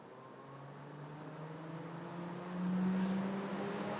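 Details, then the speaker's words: BMW 320d electric cooling fan run via the ThinkDiag phone OBD scan tool actuation test: the whir climbs in pitch and grows louder as the fan winds up, smooth and even, no scraping. Normal fan operation. "And on the actuation test, we've only got electric fan. And I'll be honest, I think that's all we've got on the professional diagnostic tools as well. But if we put that on, activate, Yes."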